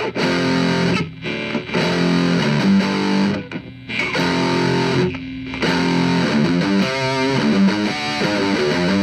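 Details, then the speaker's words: JCraft LTX Drive distortion pedal after fix, gain above 12 o'clock: heavily distorted guitar chords ring cleanly with no whistling feedback, which previously occurred at high gain. "So check natin ngayon. Wala na yung whistling sound."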